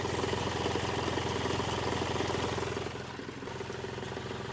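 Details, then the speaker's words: Hyundai Xcent diesel, 188,657 km, engine replaced after repeated rebuilds, cold start. A sharp, even tapping knock about two per second over the clatter; injector problem, with coding and injector shots to be checked. "अब ये problem के लिए ना हमारे को सबसे पहले तो देखो ये जो तड़-तर कर रही है इंजेक्टर की प्रॉब्लम है। समझ रहे हो बात को? यह मेनली जो प्रॉब्लम होती है इंजेक्टर से होती है।"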